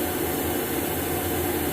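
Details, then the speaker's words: Woodgun combustion fan, original motor rebuilt with new front and rear bearings: a steady, even whir with no wobble, rattle or rising tone, smoother than the new replacement assembly's harmonic sound. "you can hear on this video how smooth its operating and not like the new assembly that I bought that has a harmonic sound to it"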